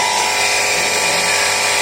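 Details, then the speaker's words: CRI Virat series 1.5HP centrifugal pump, 2"x2": steady, loud, harsh high-pitched whirring grind while running. Cause is a damaged rear motor bearing, which will be pulled out and replaced. "तो इसके bearing ख़राब है, तो हम इसके खोल के इसके बैरिंग चेंज करेंगे।"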